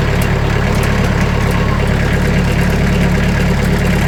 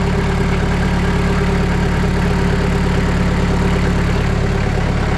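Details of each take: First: Sawmill engine at idle with the blade tensioned to about 500 psi, before damping sheets are applied: a loose buzzing metallic rattle from the thin sheet-metal doors over a steady idle. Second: Sawmill engine at raised RPM after adding 80 mil (2mm) sound-deadening mat to the doors: steady, even engine drone with no knocks, rattles or surging, much quieter than before. Normal high-rpm running.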